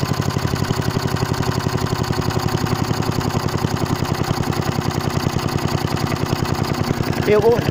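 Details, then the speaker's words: Hayter Hayterette mower with old Briggs & Stratton engine and governor arm: fast steady buzzing run that never settles to tick-over; revs too high, only idles when arm held by finger; cause not confirmed. "won't tick over either. If I put my finger on, it will tick over. If I let it go, it won't."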